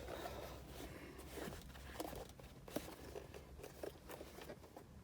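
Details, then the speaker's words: Lada Vesta Cross 2018 instrument cluster, removed from the car: soft, irregular crackles and creaks as the plastic housing flexes under light pressure or shaking; loose panel creak. "даже сама панель уже трещит вот просто даже чуть-чуть нажимать ну и если потрясти то есть даже слышно этот звук"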